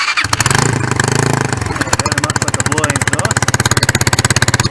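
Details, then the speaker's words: Lexmoto ZSB 125 at idle with EGR port not yet blanked: quick even chuffing with a sharp tick each firing pulse, like a blown exhaust; blanking it quieted idle but didn't cure the 45-55 mph resonance. "well this is what it sounds like when you start it [Music] up that does sound like a blood [Music] exhaust"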